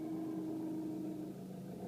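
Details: Renault Megane III 1.5 dCi 106 diesel idling, heard only inside the car: steady mid-pitched whine then a lower note; not the fuel pump, owner suspects turbo, unconfirmed.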